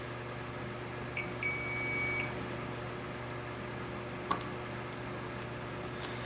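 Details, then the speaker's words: K7000 19-inch arcade monitor chassis, 15 A fuse fitted instead of 1.5 A: meter gives one steady high beep about a second across pins 1 and 4 of the removed voltage regulator; shorted, a restamped counterfeit part. "Oh, I know what the problem is. This looks like a fake voltage regulator. Shorted 1 and 4."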